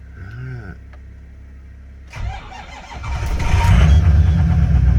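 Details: Ford F250 6.0 Powerstroke diesel cold start after sitting 3 weeks in mostly below-freezing weather. Slightly slow crank, then it fires right up into an even, strong diesel clatter. Normal cold start.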